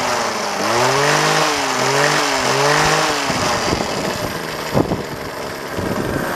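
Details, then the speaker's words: Small two-stroke trimmer: settles into a steady, wavering buzz that holds evenly before dropping off, no stalling or hunting; normal idle. "This thing just idles. Listen to how good that idles."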